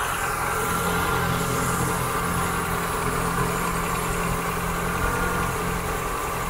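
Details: 1972 Mk3 Ford Cortina GXL just fired up during a service and tune-up, cold fast idle on the choke: a steady, slightly raised, even low hum with no knocks or misses. The ticking heard is the PCV valve, which always ticks.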